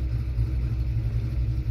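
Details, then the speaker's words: 1991 Ford Fox Body 5.0 V8 with Holley Terminator X and stock Ford IAC: steady deep rumble holding a little fast, IAC at 0–1% with TPS at zero; throttle stop screw open too far. "so what we're going to do is we're going gonna actually back off the throttle screw we're gonna see what it does"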